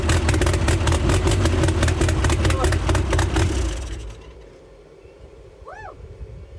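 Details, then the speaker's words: Freshly rebuilt Toyota 8RC engine, first run in the car, in neutral: loud blaring exhaust over a steady fast pulse, then shut off; runs, possibly a bit rich, very loud exhaust. "She might be running a bit rich."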